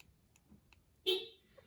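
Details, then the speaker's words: 2015 Honda Accord Sport key fob after battery replacement (CR1620 recommended), pressed from indoors: one short bright chirp from the car outside; fob now works properly. "Yep, you can hear the car out there going off."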